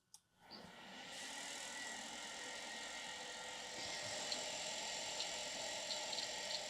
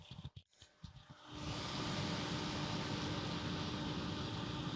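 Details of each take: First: Quantum ProDrive LPS hard drive from a battery-damaged Amiga 3000, powered up: steady high whir with faint scattered ticks as it spins up; the drive is making an abnormal noise and may be dead, cause unknown. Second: Amiga 3000 power supply, just powered on after battery damage repair: a few clicks, then the fan spins up into a steady whirring hum; runs fine but noisily, fan replacement suggested to quiet it.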